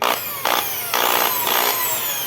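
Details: Skil electric drill running: high motor whine with a harsh buzzing rattle about twice a second from a loose housing; the cord was preventing the housing from closing and the screws would not tighten.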